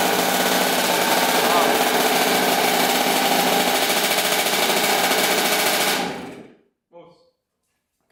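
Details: 2000 Kawasaki KX65 two-stroke, first start after full engine rebuild, fuel poured in carburetor, on choke: sharp rapid crackle firing evenly at fast idle, then shut off; rebuilt engine runs cleanly.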